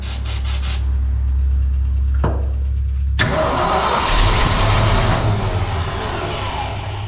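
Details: Old fire truck with a rebuilt carburetor, cranked while the gas is pumped, fuel pump working uncertain: a steady starter chug about three to four turns a second with no catch, fuel not reaching the carburetor.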